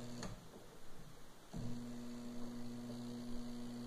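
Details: Twin-tub washer (tanquinho) losing power until agitator stopped turning: after a click, steady low electrical hum with no turning sound; motor powered but agitator seized. Locked agitator, motor hums without turning.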